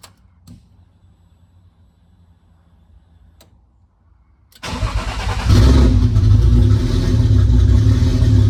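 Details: Nissan S14 with newly installed RB25DET head, first startup after cam angle sensor and timing trial and error, downpipe-only exhaust, coolant not yet filled: quiet, then catches first try and settles to steady even idle, no knocks or misses; normal start.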